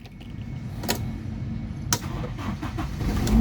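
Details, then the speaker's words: Toyota Kijang 1.8 LGX manual, 2000, 498,000 km: brief crank, then the engine catches promptly and settles into a steady run with no weak-battery or starter drag; normal start. "Nah, pada saat kita nyalakan mobil, pastikan bahwa nyalanya itu jreng. Karena apa? Kalau dia nyala tersendat, berarti ada kemungkinan bisa jadi di akinya sudah soak, atau bisa jadi di dinamo starternya bermasalah."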